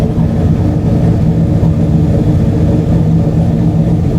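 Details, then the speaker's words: Race car at warm idle after a full fuel system overhaul (new pump, 100-micron filter, fuel cooler, vent valve); deep, loud, slightly lumpy steady idle, no misses or leaks; fuel pressure holding steady at 72, occasionally 71, versus fluctuating before. "All right, I don't know if you can hear me over the sound of the car, but I fired it up and have brought it to idling temperature, checked all of the connection points and made sure we're not leaking, and"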